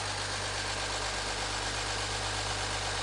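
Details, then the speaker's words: BMW X3 E83 M54 straight-six, start after head gasket replacement and tightening loose exhaust bolts: smooth, even idle with soft steady pulse, no ticks or knocks; oil pressure good, healthy. "There we go. That's what an M54 is supposed to sound like."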